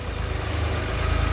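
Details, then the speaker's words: Daihatsu Mira 660cc AWD kei car after rebuild with custom parts and new ignition map, first run before dyno tuning: steady, even low idle with a smooth, unchanging beat and no knocks or misses; healthy. "Yeah, [laughter] this is good. It sounds so healthy."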